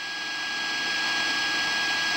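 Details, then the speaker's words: Arduino AM transmitter on a 12 V pack of AA batteries: a steady high whine with a few fixed tones over radio hiss, heard on an AM radio while not transmitting, getting louder as volume rises. "to try and eliminate some of the sound the noise that it's making when it's not transmitting and I'll turn up the radio here and you can hear that whine"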